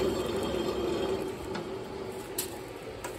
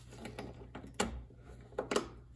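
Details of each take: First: Craftsman DLS3500 mower deck spindle, turned by hand with the blade brake holding. Dry, rough scraping with faint squeaks and scattered clicks; the blade is also bent. Suspected dry mower deck spindle bearing. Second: Craftsman DLS3500 mower with a 20 hp Briggs single, old-smelling fuel: after lubing the sticky carburetor fuel solenoid, the key is switched and a few sharp clicks show the solenoid now pulls in freely.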